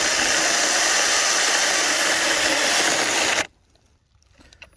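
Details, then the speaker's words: Weaker mini chainsaw on a DeWalt 20V lithium-ion battery; the high chain-and-motor whine runs steadily, then cuts out abruptly at about 3.5 seconds as it stalls under load, lacking motor power. "stalled out again. Yeah, not quite as much motor on this one. It'll cut, but it seems to stall pretty easy. You gotta be careful not to push too hard."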